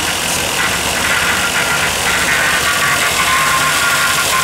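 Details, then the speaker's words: Junkyard truck engine first fired on a Holley Terminator X, fuel pump run from a separate battery: steady high whine over a rough, noisy idle; power steering pump suspected, not confirmed. "it sounds like your power steering pump poor"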